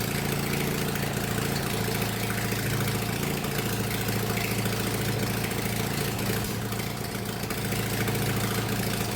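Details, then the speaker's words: 1999 Murray lawn tractor that had not run in 3–5 years, freshly installed carburetor, exhaust and air filter off: harsh, very loud, steady running with raw popping and no muffling. Loud running without an exhaust. "Damn, that was loud. Next up, I will install the exhaust again."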